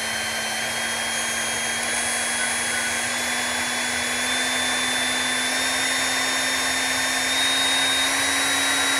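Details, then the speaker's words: Electric motor with an internal fan, running unloaded at varying RPM and measured with a sound meter: smooth whirr with commutation buzz, pitch rising with speed, no knocks or grinding. Normal no-load running. "now there there's no load on this thing so it's not making any noise um for that but it does have a little fan inside and it does have you know the commutation noise"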